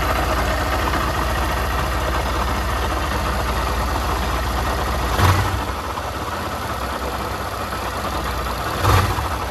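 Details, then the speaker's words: Honda CG 160 Fan motorcycle idling with rough, uneven clatter and two brief thumps; the noise worsened after riding and changes when the clutch is pulled, suggesting the clutch side: abnormal engine noise at idle. "Dá para notar que tá passando assim dá para você notar que ela tá com barulho estranho"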